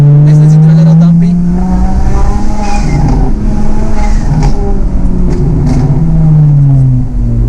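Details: Single-turbo BMW 335i N54 (GTX3582R, JB4 with MHD flash), manual boost controller replacing the suspect solenoid: loud steady engine drone with airy blow-off whooshes on throttle lift; boost now returns, 14 psi at 5,500 rpm.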